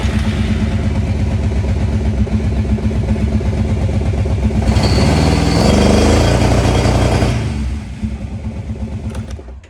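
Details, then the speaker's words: 2004 Arctic Cat 650 V2 with the belt light flashing is in limp mode from a belt fault. It idles, revs briefly, then levels off and falls back, allowed only partial RPM, never full speed. "don't know if you can hear that, but it's into limp mode, which basically only gives you partial RPM and won't let you get full RPM, and so you're on a slow ride out of the trail."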